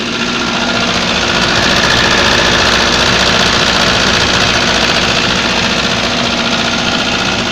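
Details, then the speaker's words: GAZ-3110 engine running with a sharp, regular metallic knock, about four per second, over the idle; a piston pin is suspected but not confirmed. "машину на ходу работает но стучит"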